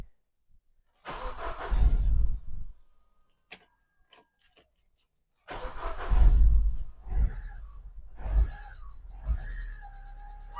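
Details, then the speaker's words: Vauxhall Zafira GSI Z20LET, first start after 7 years parked: it catches in uneven, lumpy bursts, surges, then stumbles and dies; something sounds like it is pushing somewhere. "Come on. We have fire. Come on. Oh, she's a dog, man. Wow. Right, something sounds like it's pushing somewhere."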